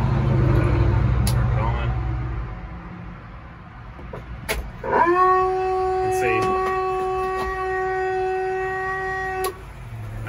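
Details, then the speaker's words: Siren amplifier being installed in International Detroit Diesel fire truck, key on, switched to PA: steady hollow howl at one pitch instead of clean output; PA fault that developed with use, suspected bad capacitors. "it does on pa i did not do that in the beginning seems like after getting used a little bit it started doing that so probably some bad capacitors that we'll need to address"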